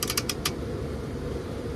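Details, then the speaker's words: Heat pump with electric aux heat not working, W1 jumped out: sharp sequencer relay clicks over a low hum while the heat strips stay dead; all three thermal limit/fusible links open with no continuity. "just jumped out my fan my electric heat you can hear the relays kicking on like they want to see"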